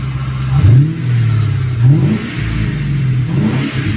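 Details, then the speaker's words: F100 with a Crown Vic engine swap, just running after fixing a loose-bolt ground issue, power steering line still holed: quick throttle blips rise and settle smoothly back to idle with strong pull and no stumble or knock, normal revving. "now it's running now I just have to button everything up and I can drive"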